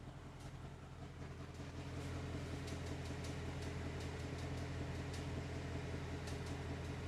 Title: 2021 Mustang GT AC ticking sound